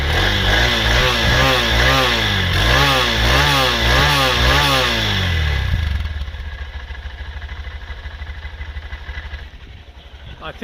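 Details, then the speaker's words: 2023 Honda CB125F single, after valve adjustment at 1,000 km (exhaust had been too tight, intake too loose; set 0.08 intake, 0.2 exhaust): revs cleanly up and down, settles to steady even idle, no popping; no longer running lean, normal running. "think it's safe to say from that little demonstration that the bike's definitely not running lean anymore. And in my opinion, that's probably a good thing. It's idling fine."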